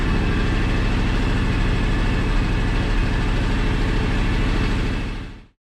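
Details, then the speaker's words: 15+ year old, high-hours John Deere X729 lawn tractor after full service that cured its running-hot issues: steady even idle beat about 200 per minute, then smooth shutdown; runs clean and healthy. "was definitely the cause of a lot of my running hot issues but she first like a kitten now and she runs great"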